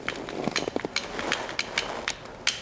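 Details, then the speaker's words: Latch just installed, screw driven in at an angle along the drilled radius: sharp metallic clicks and light clatter as it is worked, a small rattle in the clasp, to be cured by fitting a clasp cushion inside. "Oh, you can hear it. There's a rattle to it now. Little rattle there."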